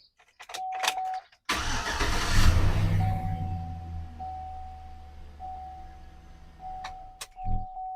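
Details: Chevy Silverado/GMC 1999–2007 truck started after replacing the serpentine belt tensioner: quick crank, catches at once, settles into smooth, low, steady idle with no belt squeal or chirp; normal start and idle.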